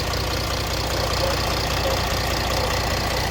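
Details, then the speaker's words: Mercedes CLS 320 CDI diesel at idle after replacing the accessory belt kit, idler/tensioner pulleys, water pump and alternator freewheel pulley: steady low clatter, no bearing noise, squeal, chirp or slap, no water pump leak; normal idle. "Donc là on est nickel, on n'a plus de bruit de roulement, on n'a pas de fuite au niveau de la pompe à eau."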